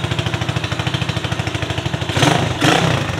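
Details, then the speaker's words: RPS Condor (Honda Grom clone), 150cc single-cylinder: an even, steady idle thump, then two clean quick revs before settling back. Runs healthy. "I am going to turn it on real quick so you guys can hear it so yeah man bike runs sounds amazing looks"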